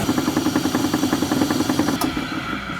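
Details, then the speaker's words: Harbor Freight tool turned down from 1,700 toward 1,000 rpm, internal belts loosening at low speed: steady motor run with quick regular clicking about three ticks a second; owner fears something broke. Clicking at low speed, possibly loose or slipping belt. "it does not want to go that slow so the belts inside are loosening we're going to go a thousand I don't want that I don't like that clicking I think we done broke something"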